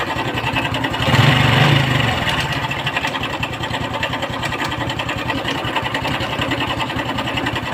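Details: Honda Wave 110i single-cylinder at idle with an even, busy ticking clatter from the top end about three to four beats a second. The cam chain or chain tensioner roller is suspected, not confirmed.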